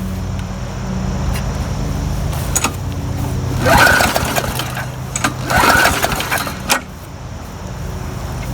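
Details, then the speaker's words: Murray lawn mower that ran days earlier, about 70 degrees out, primed three times: two pull-start cranks, short rasping bursts, no firing; fuel tank found about half water, causing the no-start. "this is what was in the lawnmower you see that water floating in the bottom there [Music] it's actually about half water so that's why i wasn't starting"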